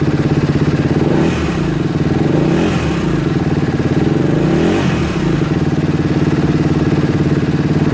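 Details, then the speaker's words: 2016 Kawasaki KX250F that wouldn't run (owner fitted new fuel pump, plug, wiring harness, stator, CDI); fast steady idle with light ticking and rattle under quick throttle blips; valves to be checked, suspected due for top end, possibly why idle won't come down. "okay she sounds a little Ticky uh a little rattly I'm going to I'm going to check the valves"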